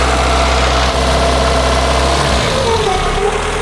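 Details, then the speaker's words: Peugeot 205 petrol engine after repairs: idles steadily with low hum, correct with only slight fluctuations; belt noise also heard, alternator belt suspected and tested with soapy water. "le ralenti est correct fait quelques petites fluctuations"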